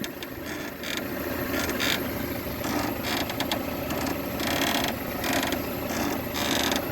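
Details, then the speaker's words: Peugeot 307 front suspension: rhythmic dry creaking about once a second as the suspension is worked, like an old cart; the sway bar link (bieleta) bushing rubber is split/burst, link to be replaced. "E aí quando esquece o carro faz esse rangido aí parecendo a carroça"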